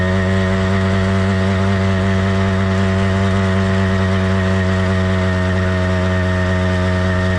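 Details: Warmed-up but not heat-soaked two-stroke motorized bike kit engine (single-speed, single-circuit carburetor): even buzzing drone holding one pitch, no misses or sputter; normal smooth warm running.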